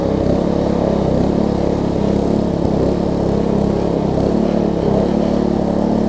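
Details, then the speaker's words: Troy-Bilt Tuffy rear-tine tiller reassembled after fitting a new fuel pump diaphragm to replace a cracked, dry-rotted one: the small single-cylinder holds a steady, even putter with no misses, surges or knocks; runs smooth and healthy, though a worn control cable is suspected. "but apart from that this thing runs good feels good and all that stuff so let me crank it up force"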